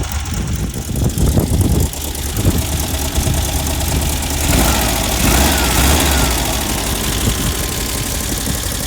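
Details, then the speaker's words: 1970 VW Bug air-cooled flat-four after distributor swap (electronic unit from sandrail, old one had huge point gap); a few rough moments then steady even idle; normal idle. "Seems to be working good. Bug seems to be running good."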